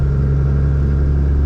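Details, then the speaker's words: 2002 Cummins Ram diesel with new Mishimoto intercooler and 125hp DDP injectors, under load: deep heavy drone with faint steady turbo whistle, spooling cleanly. "And yeah, you guys, it is kind of crazy. I'm like trying to watch all the gauges and just make sure I'm not destroying crap, you know? Oh, the sound, the turbo."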